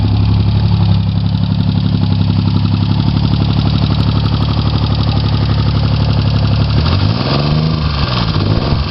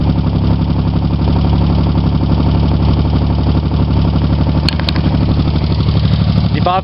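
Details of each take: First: Chevy Sprint turbo 1.0 L three-cylinder after top-end rebuild, Saab 9-3 turbocharger, straight pipe with two cherry bombs, total cold start, low on fuel; fires instantly and idles with a low steady even thrum, no knocks, normal idle. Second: Chevy Sprint turbo 1.0 L three-cylinder, freshly rebuilt head, total cold start, straight pipe: rapid light ticking over a lumpy idle, valves set loose, to be tightened later.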